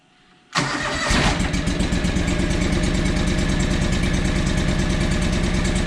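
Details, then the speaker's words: John Deere 445 lawn tractor twin, sold as running on one cylinder, throttle up: lumpy, uneven chuff around four beats a second with the far-side cylinder dead; owner suspects the coil; engine running on one cylinder. "sounds like it run on one cylinder see the throttles up so it's running on one cylinder"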